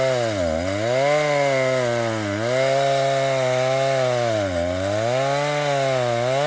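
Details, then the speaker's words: Vintage 1960s Stihl 08S chainsaw, about 60 cc two-stroke, cutting firewood before high-speed screw richened 1/8 turn; pitch dips under load, climbs to thin scream when free; owner thinks it needs more fuel; lean high-speed mixture. "give this just a little bit more fuel. So just 1/8 of a turn, we're gonna make the next cut. I think it needs just a bit more fuel."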